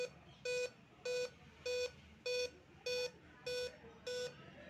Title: Dell laptop beep sound problem Solution